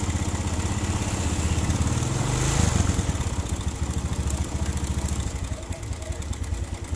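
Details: Suzuki Smash/Shogun 125 motorcycle idling roughly with an uneven clatter of about three knocks a second (klotok). Causes considered were a worn conrod, crank bearing or loose tensioner; a loose cam chain tensioner was found and fixed with a locked 10 mm bolt 6.5 cm long. Timing chain knock.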